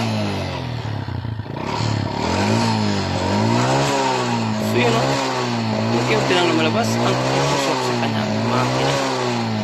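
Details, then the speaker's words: Honda XRM 125 single with white smoke and history of running low or out of oil: uneven revving with hollow loose knocking from the cylinder block, piston slap from worn piston. "ito ay ang tunog piston slaps pandin natin ulit para marinig niyo ang tunog na nangagaling sa kanyang cylinder block"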